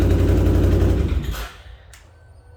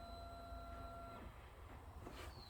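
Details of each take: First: 2008 Can-Am Outlander 650 XT ATV with a no-start fault, caused by a bad wiring connection and fixed with a new connector. After the repair it cranks, catches and settles into a steady, even idle with no misses or knocks. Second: 2008 Can-Am Outlander 650 XT, no-start: a thin electric fuel pump whine runs about a second and stops, with no starter crank following. A bad starter solenoid is suspected; a neutral safety switch is also possible.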